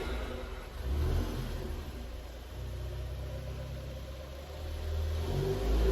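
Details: Ford Focus ST Mk3 estate engine revved during restoration: throttle blips up and settles back with even, deep exhaust, no knocks or rattles, lots of chatter; sounds healthy, normal revving.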